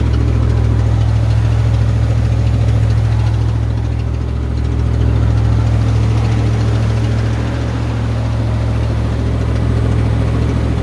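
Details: 1990 Ford Bronco idling with a deep, heavy, rhythmic throb of about three beats a second; an abnormal, unidentified noise whose source is unclear.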